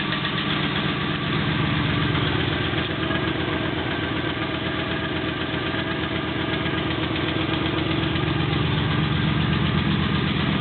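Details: Triumph Stag engine at cold-start idle: steady knock tapping about four times a second; starter solenoid clicks may also be heard.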